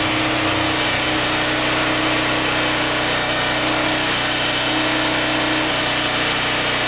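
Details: 1980s PowerMate PM1500 1500-watt generator with a 3 hp engine, carburetor cleaned; steady even high-pitched buzz at constant speed, no misses or knocks, though the owner reports an unidentified electrical problem; normal running.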